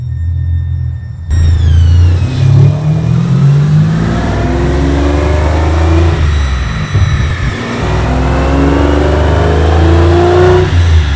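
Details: Aston Martin V12-swapped Foxbody Mustang on the dyno, getting warm, full-throttle pull: the V12 wails and climbs, then falters with a rough "brrr" break-up, like hitting a wall. It was stumbly when driven earlier; a soft limiter or safety in the tune is suspected.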